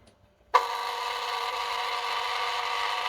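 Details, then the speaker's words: SUN SUN HBL hang-on aquarium filter pump with air-lock fault: loud, steady, buzzy rattle from switch-on with no low hum, as the outlet flow valve is opened too far and the pump draws air. "kêu rất là to [âm nhạc] nhá kêu to này thì một phần là nó bị cái lượng lượng n lượng khí mình mình lấy nước ra này cái đầu ao đầu ao ra này quá lớn nhá"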